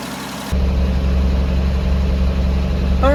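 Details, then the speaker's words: Jeep J10 with rebuilt carburetor, cold, weak battery, choke set manually, fuel now showing in filter: catches after half a second, settles into low, slightly uneven idle; hard start, suspected air pocket and weak fuel pump; builds oil pressure. "Had to fight it a little bit. Mess with that choke. Uh make sure probably had an air pocket or something. That fuel pump may be a little bit on the weak side."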